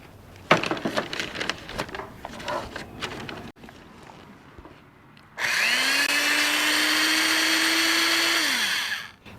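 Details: Early-1970s Black & Decker 3/8" pistol-grip drill, metal body, not variable speed or reversible: after handling clatter it winds to a steady even whine and coasts down smoothly. It runs fine, with slight end play, and could use lubrication.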